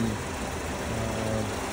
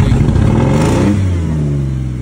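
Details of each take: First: 2013 Mazda 5 at auction, started with a jump: smooth, even low idle with no knocks, ticks or misses; sounds pretty good, normal idle. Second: 2003 Jeep Liberty at auction, jump-started and moved back and forth: the engine blips and falls back with a loud, raspy, unmuffled roar that tracks the revs; exhaust problem, possibly a leak or a cut-out catalytic converter.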